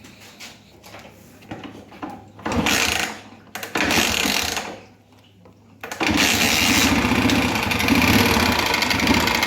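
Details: Honda Fan 125 (2011) single-cylinder motorcycle at idle: loud, busy clatter ticking about three times a second; piston slap. Teardown of head and cylinder found the cylinder and piston worn from running low on engine oil.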